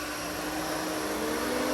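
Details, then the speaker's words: Custom Ford Ranger with a 5.0 V8: both cooling fans now on after a pinched, corroded wire causing a bad connection was found; a steady, even whoosh of airflow with a constant hum, no rattle or scrape: normal fan operation. "Now both are on. The wire's pinched. It's just a bad connection."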